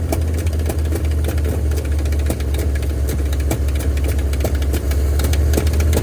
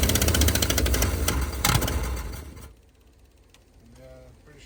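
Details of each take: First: 1971 Ford F250 parked 30 years, cold at −15 °C, now running after a boost: a rough, lumpy idle with sharp irregular ticks about three to four a second. One or two valves are suspected stuck with bent pushrods; the plan is to pull the valve cover, free the valves and replace the pushrods. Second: 1971 Ford F250 V8 parked 30 years, -15 °C morning, on booster cables, choke held open after possible flooding: fires and runs loud and rough with rattly beats, smoking, then dies; suspected stuck passenger-side valve, possibly bent pushrods.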